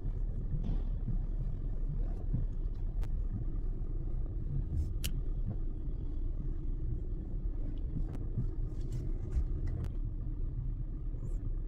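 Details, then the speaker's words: Hyundai i30 at idle while steering is turned, after replacing the worn steering spider bushing that caused clunking on turns: low even rumble, clunk no longer heard; repair successful, quiet steering. "Pakinggan niyo wala na yung lumalagutok"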